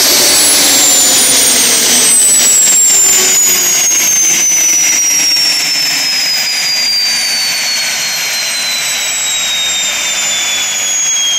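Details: Tiernay turbine fired up after sitting two years, following repair of a high-pressure fuel line. A high, piercing whistle drifts slowly lower over a smooth, steady roar with no surging or rattles; it runs healthy.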